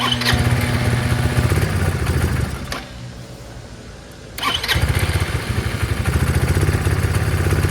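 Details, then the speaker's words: Chinese 150cc GY6 motor scooter, started with starting fluid, mixture adjusted: engine chugs unevenly, drops to near nothing, then catches again; bogs off idle from stop until higher rpm, owner suspects air-fuel mixture or float problem. "It's just that from stop to that area is where it bogs down. It's tough to get the throttle there."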